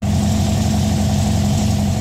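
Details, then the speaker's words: Air-cooled 2234cc engine with 39mm carburetor, being tuned with a wideband. Steady even low idle, smooth beat, no misses or ticks. Idle read near 1100–1300 rpm on gauges. "elle dit que je suis au ralenti comme à 11 50 quelque part par là et mon tachymètre sur mon bug vert dit que je suis à 800"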